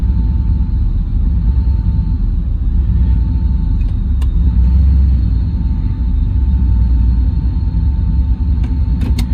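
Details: Car with an L31 Vortec 350 (cam and intake from a 1999 Tahoe) on TPI, idling in gear with the EST and IAC unhooked: a deep V8 idle that slowly swells and sags, hunting instead of holding steady. The surge persists, so the cause is still unconfirmed.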